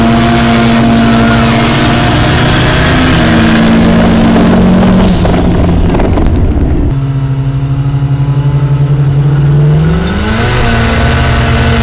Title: Big boost leak at All Aussie Day lakeside